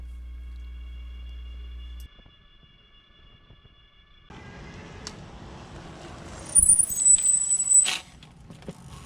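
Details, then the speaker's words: Fiido L3 e-bike with factory mechanical disc brakes: sharp high-pitched squeal for over a second when braking while rolling, persisting despite adjusting and cleaning; fixed by upgrading to Zoom DB680 calipers and Tektro E10.11 pads. "the brakes they squeak people say they annoy me"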